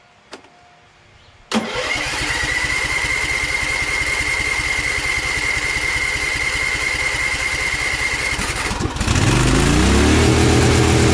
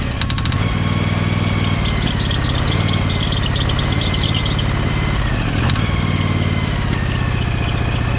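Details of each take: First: Briggs & Stratton Vanguard 23HP V-twin: cranks and catches, then about nine seconds in the revs climb sharply and hold high. Overspeed; governor suspected disconnected, unconfirmed. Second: Briggs & Stratton Vanguard 23HP V-twin: steady, even thrum holding a constant beat with no misses or knocks. Engine runs smooth and nicely now.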